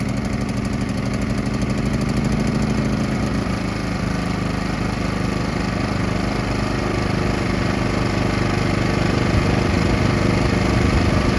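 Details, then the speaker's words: PowerSmart PS5025 2200W 4-stroke OHV gas inverter generator in eco mode, choke pushed fully in after warm-up, full run; soft even putter at steady low speed, neighbour's mower faintly behind; very quiet, normal running. "You can hardly hear it. My neighbor's mowing his lawn, so it's making a little bit of noise. But you can tell how quiet this is."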